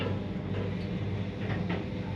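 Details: 2004 Mogilev MLM 400 kg passenger elevator, UL controller with PU-1 board: steady low hum on the cab while travelling; one door-motor winding energized through main drive direction contactors, humming and heating; fixed by swapping phases.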